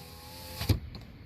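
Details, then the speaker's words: 2018 Nissan Altima passenger front door, panel reinstalled, power lock tested: single soft, dull click, actuator moves slightly but lacks power to push or release the latch, which works manually; weak door lock actuator. "There's the power door lock. Okay, you can see it doesn't work. You can see it moves a little bit."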